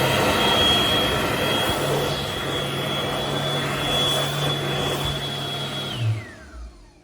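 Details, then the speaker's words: Healthy AirDri Quad/Quazar hand dryer, whose motor is claimed to last 17,000 hours: strong steady rushing airflow with a constant high whine, then a clean spin-down. Normal hand dryer run. "this first video is how is how a Healy quad SL quazar is supposed to"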